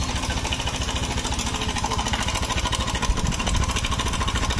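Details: 2017–2018 Honda Scoopy scooter with a rough, noisy engine, idling with the CVT removed: a loose, busy metallic rattle a few times a second over the small single, traced to the cam chain tensioner, not the CVT.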